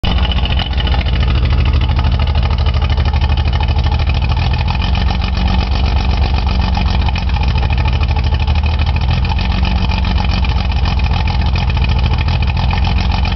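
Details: Nissan 280Z engine at idle with a bad injector stuck open: loud, uneven low note with a lumpy, stumbling beat, rough running from a cylinder being flooded.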